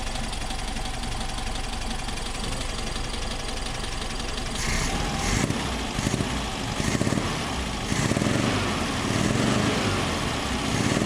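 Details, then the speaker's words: 1964 VW Type 34 Ghia air-cooled engine, first start after sitting since 1983 with rebuilt carbs: steady idle with a sharper uneven tick from one side, getting louder; owner suspects a loose spark plug. "we're getting kind of a kind of a goofy sound over on this side i don't know listen to this i think that plug's loose"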